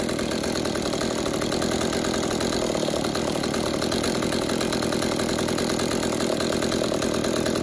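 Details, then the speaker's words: Stihl MS-192 top-handle chainsaw, which wouldn't idle or rev, after its clogged exhaust spark-arrestor screen was burned clean and refitted: a steady, even, high-pitched two-stroke buzz holding speed smoothly with no surging or stumbling. "it's good as go ahead new reinstall it now just listen to how much different and how much better this thing runs"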